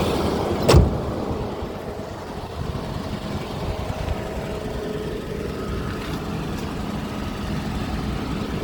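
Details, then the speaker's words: Mercedes W126 V8 on LPG after fixing misfire by adding more LPG: steady, even low rumble, no stumbles, pops or skipped beats; smooth healthy idle, no misfire. "Okay, guys. Here we go. No misfire."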